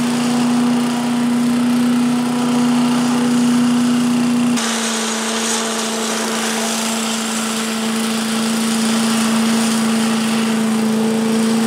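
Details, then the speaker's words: 1985 Billy Goat leaf blower with Briggs & Stratton 8HP engine, after new spark plug, oil change, air filter and replacement fuel tank: steady even hum with strong fan rush, no misses or surging, settling to a slightly different speed; runs pretty good. "so all in all I probably have I spent 40 maybe another 40 for the parts 80 bucks it runs pretty good yeah real happy with that"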